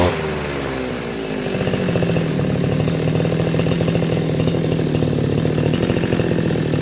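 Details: Makita RBC411 two-stroke brush cutter that would not start, after fuel line and carburetor service, started with choke: buzz a little uneven at first, then holds a steady run; normal running.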